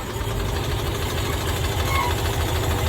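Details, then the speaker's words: 1990s Cushman Truckster pulled from a field, not run in years, first start with working fuel pump: small petrol engine catches right away and settles into a steady, even idle with a light regular pulse; runs fine. "Pops right off and runs. Just like that. This thing runs pretty good."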